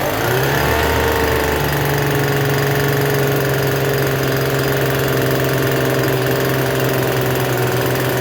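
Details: Free Troy-Bilt TB272V two-stroke leaf blower, restarted after sitting and being worked on: steady fast buzzy idle that never drops back, still idling a little high even with the adjustment turned out as far as it goes.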